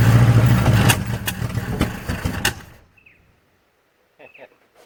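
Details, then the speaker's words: 1963 Nissan Junior ute, unused 15 years; engine fires and stumbles unevenly with irregular pops, then dies under three seconds. Carburetor leaking, runs better on choke; owner suspects it's running out of fuel at idle. "Well, she runs. Don't want idle though. Seems to be maybe running out of fuel at idle."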